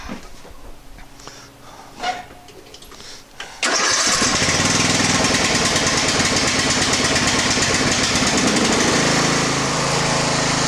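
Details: Craftsman LT1000 garden tractor started right after clutch cable replacement: a few quiet clicks, then the engine catches at once and settles into a steady, even run with no misses or knocks; normal start and run.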